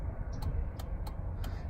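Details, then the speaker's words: 2003 Chevrolet Suburban, new replacement flasher module (old one intermittent) at quiet idle: soft relay clicks about three per second, evenly spaced after a long-then-quick first blink; flasher ticking normally, pattern apparently by design. "got a long a long blink than a quick blink and then a standard you know pattern to it I guess that's just it does it both ways I guess it's just how this was designed"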